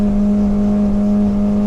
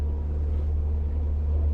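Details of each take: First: Yeah, you can hear that hitting the rev limiter. Right there, I had to back off a little bit. And we didn't lose any speed, so you can see I hit that rev limiter. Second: 2010 Arima Sea Ranger 19 with a Yamaha 90HP outboard of about 900 hours, just shifted into gear at low throttle: a steady, deep, even drone with no knocks, misses or rattles, healthy as a normal Yamaha.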